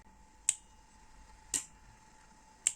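Three crisp, sharp clicks about a second apart over a faint steady hum; a normal contactor pulling in, nothing rattling.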